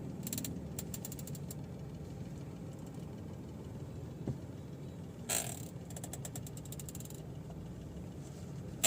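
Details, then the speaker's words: Mahindra XUV300 at idle with the steering wheel turned left and right: scattered dry creaks and ratchety ticks from the steering column, feeling as if something is jammed and noticeable while driving; the column was repaired with grease. "तो यह जो आवाज़ आप देख रहे हैं यह वाली तो इससे स्टेरिंग में यह और हम जब राइट या लेफ्ट स्टीयरिंग जब हम काटते हैं तो यह वाले ऐसा लगता है जैसे हमारा स्टेरिंग कोई चीज जाम है"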